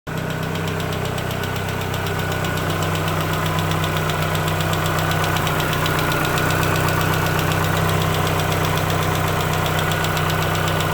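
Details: 2004 Chevrolet Aveo engine idling with a regular deep knock, about two to three a second, under the engine drone; rod knock from the bottom end.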